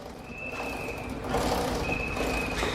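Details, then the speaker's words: Honda CBR 1000RR rear wheel spinning gives a thin, intermittent squeal over a gritty whir, showing a dry, unlubricated drive chain before cleaning and lubing. "ya bu ses geliyorsa arkadaşlar 1/2 zincir iniz yağsız"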